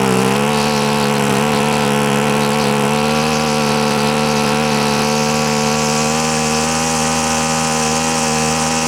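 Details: Husqvarna two-stroke string trimmer before repair: holds a steady buzz at a slightly unsettled pitch that won't clean up. At that point it dies from too much air, so the fuel-air mix is off. Owner suspects worn carburetor diaphragms.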